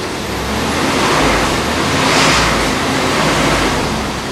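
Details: Wood-gas-powered truck with the carburetor removed and replaced by a plastic cover, no gasoline, timing advanced: steady even engine running with low rumble and hiss, no misses or knocks; starts and drives better than ever. Normal running on woodgas.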